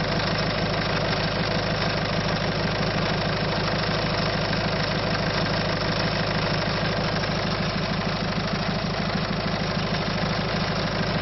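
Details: Citroën C5 1.6 HDi diesel at idle: a steady idle carrying a regular knocking clatter about three times a second, with loss of power. The cause is not identified.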